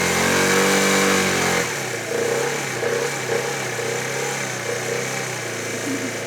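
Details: 2013 Italika Sports City 50cc moped revived after five years sitting, reassembled: brief rev drops to a light buzzing idle that holds steady without stalling or hunting; running fine, ready to ride.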